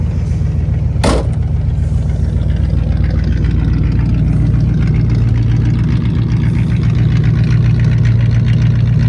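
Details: 1959 Cadillac V8 that sat for years, fluids checked, restarted once more: it fires right up and, down off the fast idle, settles into a smooth, even low rumble with no misses or tapping. Normal idle.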